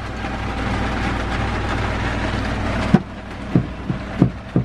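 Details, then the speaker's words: Westsail 42 sailboat: dull hollow thuds as the rudder is rocked by hand, rudder shaft loose and knocking on its fiberglass tube, still present after disassembling the quadrant and seal; rudder post also leaking, believed to be from the flax packing. "there were two problems back here before we took it apart there were two problems there was a leak and there was a knocking sound"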